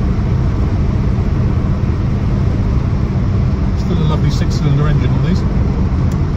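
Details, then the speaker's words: 1961 Jaguar Mark II 2.4, manual overdrive: steady, even low rumble settling to a smooth idle at 700–800 rpm, no knocks or misses; healthy. "settles down to a nice idle at uh 700 RPM 800 RPM and it's just yeah just a pleasant Place Pleasant cards Drive Pleasant place to be"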